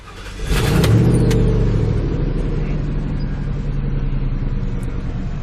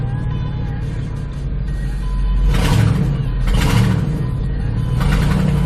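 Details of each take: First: Ford F-150 5.4L 2V V8 with code P0307, put in gear so the drivetrain loads it: rumble turns uneven and loping, stumbling as it pulls. Scan tool power balance shows cylinder 7 dropping out; suspected faulty ignition coil. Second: Ford F-150 5.4L 2V V8, in gear under load after an aftermarket ignition coil replaced cylinder 7's coil (P0307 misfire under load): deep, even drone as throttle comes in, no stumble. Scan tool power balance flat, no misfire.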